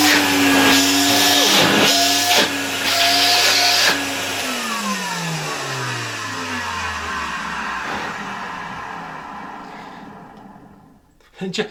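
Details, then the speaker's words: 1970 Alfa II vacuum cleaner after motor replacement: a steady high whine with air rush, then it is switched off and winds down smoothly. Works well; the owner suspects the bearings are audible on stopping and plans to lubricate them. "It works quite well, although a cloud of dust came out of it after the first start - maybe it wasn't visible in the recording."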